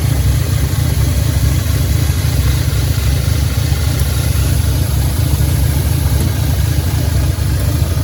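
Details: 2010 Audi A5 Quattro 6-speed manual, 2015 CPM 2.0T engine swapped in for the CAE, 144,045 miles, first start after a fresh oil change: deep idle with a lumpy, uneven beat; misfire, cause unknown.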